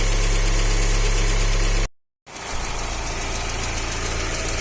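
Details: Fiat Uno 1.4 Evo Fire, warm idle with cooling fan on, oil pressure 2 bar at idle (3 bar cold); fairly even knock about four a second, mild but audible. Engine knock; cylinder head already removed once before.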